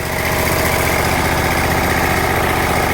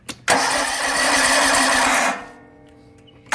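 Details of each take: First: Exmark zero-turn mower with Kawasaki FH580V 19 HP V-twin, after replacing a missing carburetor Welch plug that caused surging and rough idle, at light throttle with a steady, even beat and no surging; normal smooth idle. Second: Kawasaki FH580V 19 HP V-twin on Exmark zero-turn mower: cranks then surges and idles roughly; new coils, fuel pump, filter and carburetor cleaning didn't help; vacuum leak from missing carburetor Welch plug.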